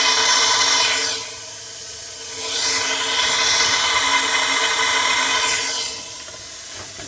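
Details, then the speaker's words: Saturn SL2, engine turned so valves are closed, air pressurized in a cylinder (100 psi in, 30 held, 70% loss), microphone at the air intake: steady rushing hiss swelling and fading as air leaks past the intake valve out the intake, a large leak. "the intake valve that is leaking it's leaking through the intake valve and it comes up the intake manifold and right out the air intake so yeah that's a pretty that's a pretty large leak"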